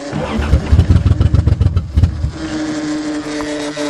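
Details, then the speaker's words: 1982 Toyota Cressida, 246,000 km, first start after sitting: uneven lumpy firing pulses about three or four a second, then a shakier steady run; owner suspects fouled plugs; rough running. "Well, it sounds like it's having a hard time. Come on, what the fuck? Got foul plugs or something now."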